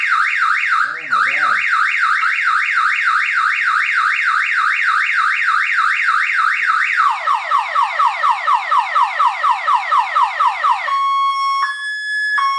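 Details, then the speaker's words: 454 SS pickup that has sat for a couple of years, on a fresh battery: the alarm trips as soon as the battery is connected, giving rising and falling siren sweeps, then faster descending chirps and steady tones. "fob for the remote control because there'll be an alarm as soon as I connect the battery."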